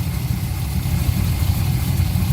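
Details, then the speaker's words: Porsche 944 with a Chevy 6.0 LS V8 swap, idling just after a fresh oil change and its first start in six weeks: a deep, steady V8 burble with an even firing beat and no knocks or ticks, oil pressure good; a healthy idle. "got oil pressure got oil very tempted to put it down on the ground and take it out for a ride but we're at least going to leave it run for a little bit to charge things up and stuff"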